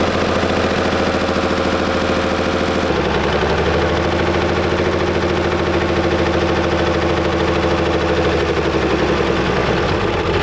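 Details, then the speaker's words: WWII-era Chevrolet truck engine after decades in a barn, hand-fed gas into carburetor with suspect needle and seat; loud, lumpy, uneven firing with irregular popping bursts, though better than yesterday; rough running. "that sounds a lot better than than it did yesterday yeah it's getting some oil through it"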